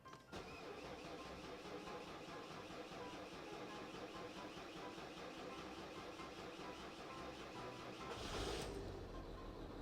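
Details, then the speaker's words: Citroen C6 diesel: catches after a short crank but runs lumpy and shaky with an unsteady beat and a surge near the end; rough start, cause not confirmed. "Oh no, it didn't start properly, it's shaking."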